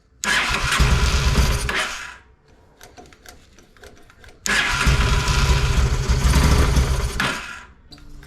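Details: Honda Shadow motorcycle (possibly a 650) that sat almost a decade: engine catches, runs roughly a couple of seconds, dies, restarts briefly and stalls; weak accelerator pump spray, fuel starvation from clogged carburetor needing cleaning and rebuild.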